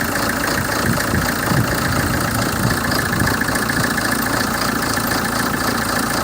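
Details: 2007 Hyundai Terracan CRDi diesel idling: uneven, lumpy chug that never settles into a smooth beat; a rough idle, cause not pinned down.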